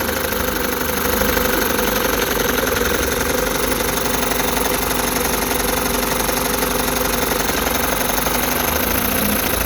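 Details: Rebuilt 1960 Evinrude Fisherman 5.5 hp two-stroke outboard in test tank after in-gear running, back in forward with linkage hooked up: steady, even idle about four beats a second, no misfires or hunting; normal idle.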